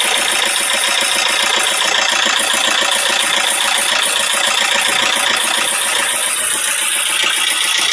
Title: стук клапанов о поршни 4JG2